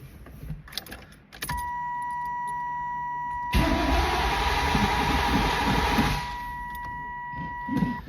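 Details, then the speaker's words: Camaro cranked after a new fuel tank, fuel pump and sending unit were fitted, with loose battery terminals tightened. The starter turns it over at about four even beats a second, but it never fires. The owner suspects the throttle body injectors or fuel not reaching the throttle body; unconfirmed. "Well, can't get the car to fire. Not sure what's going on with that. It could be the injectors in the throttle body."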